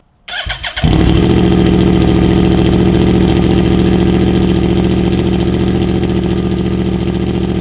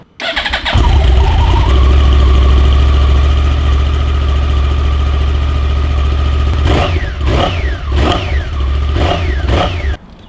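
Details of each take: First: Yamaha R1 (Big Bang) with stock exhausts' silencers removed, cat still in the Y-pipe, cold start: brief stumble then very loud, raw rapid pulsing idle; loud exhaust with silencers removed. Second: Yamaha R1 fitted with borrowed stock Big Bang R1 exhausts in place of Two Brothers pipes: quick start, then an even, muted idle with a few clean blips. Healthy running, very quiet through the stock exhaust.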